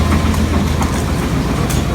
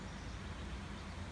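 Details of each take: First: 1999 Chevy Suburban, 350 5.7L Vortec V8, about 242,000–246,000 miles, run out of oil through a cracked part while towing a boat: heavy rough rumble with hard rod knock from multiple spun rod bearings and a damaged crankshaft; engine replaced. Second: 1999 Chevy Suburban with a new replacement V8, fitted after the old 350 5.7 L Vortec ran without oil and spun its rod bearings: a low, steady, even rumble with no knocks or ticks; normal idle.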